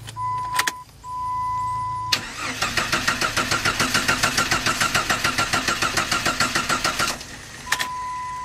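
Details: 1997 Jeep Grand Cherokee 4.0L no-start: a chime, then about five seconds of even cranking that never fires, after crank sensor replacement; the fault turned out to be the camshaft position (Hall effect/distributor pickup) sensor.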